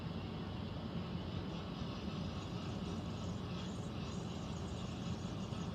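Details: Central air conditioner air handler, heard in a bedroom and seeming to come from above the closet, gives a steady low rumbling drone with an even rushing hiss and no knock; abnormal noise, cause unclear, possible leak questioned.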